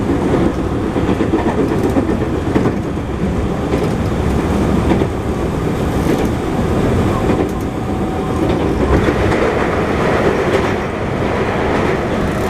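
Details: JR 221 series Yamatoji Rapid train with field-added excitation control (up to 120 km/h), recorded onboard between Oji and Kyuhoji: rail clatter at speed with a repeating thump keeping pace with wheel rotation; wheel flat.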